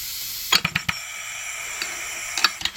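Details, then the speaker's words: Homemade steam engine run on compressed air, pressure falling from about 40 toward 20 psi: hissing air with a few quick clicks and clacks, then it stalls and rocks back without completing a revolution. Cause unknown; it once ran at 40 psi and now seems to need about 65. "yeah it isn't going all the way around folks I don't know why"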